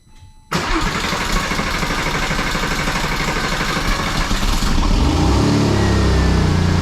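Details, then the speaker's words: Porsche 996 Turbo first start after fuel system work and reversing the fuel pump wires. The exhaust V-band clamps are snapped, so it catches abruptly and runs loud and raspy with a ragged, puffing roar: a major exhaust leak. "keep in mind guys that the uh my vband clamps on the exhaust kind of snapped so I'm going to have a major exhaust leak if it"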